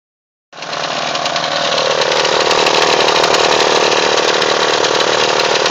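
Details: Mitsubishi Eclipse, daily driver, at idle: loud, harsh metallic rattle over the running note that goes away on acceleration; owner thinks it comes from behind the timing cover or the pulleys, cause unconfirmed.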